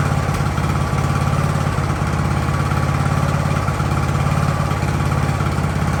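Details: Ariens hydrostatic-drive riding mower, sat at least two years, idling in neutral at about 30 degrees: small single-cylinder engine holds a low, steady putter with an even thump, no stumbling or dying; normal idle.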